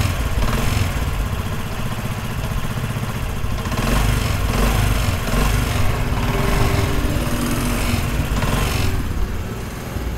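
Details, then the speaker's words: Motorcycle engine after repair, parts washed and refitted: steady, even low engine note with no knocking or rattling; running smoothly and quietly, normal. "आप माशाल्लाह देख सकते हैं engine का sound ज़बरदस्त हो गया।"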